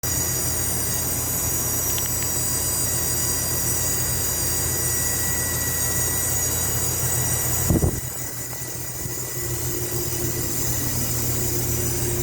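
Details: Goodman AC condenser running: thin steady high squeal over unit hum stops after spraying water on the condenser coil, not the fan; owner suspects valving or compressor, source unclear.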